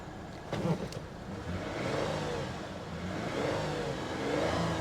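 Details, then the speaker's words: 2012 Porsche Cayman with manual transmission at an auction lot, just fired up after sitting dead: clean revs rise and fall smoothly with no knocks or misses; engine sounds healthy. "engine sounds healthy guys important window works"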